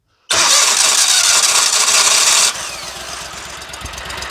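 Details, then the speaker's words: Dixie Chopper zero-turn with Generac engine, after runs-and-dies no-start repair, on a fresh battery with the button pushed: short crank catches at once into a loud even burst, then settles to a steady smooth idle; fixed. "well I tell you what I'm going to do is go ahead and just put this battery on charge we know she's fixed and ready to go"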